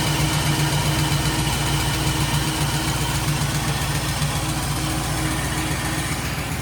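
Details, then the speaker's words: Studebaker Champ pickup idling with the AC on and its compressor just having cycled: steady, even low thrum with smooth regular beat and no knocks or misses; engine sounds pretty good. "engine sounds pretty good. Got the lights going the way I want them. So pretty happy with it. But anyway, we got it running. Sounds pretty good."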